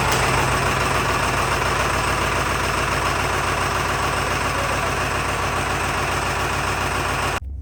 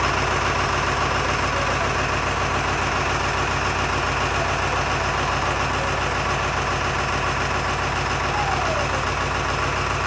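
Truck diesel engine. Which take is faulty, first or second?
second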